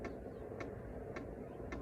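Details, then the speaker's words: BougeRV 5 kW diesel heater at startup: crisp, evenly spaced ticks about twice a second over a low rumble, the fuel pump metering normally before quieting as it spools up. "That was one of the pluses that I looked into this model, because some of them, they say the ticking is just annoying."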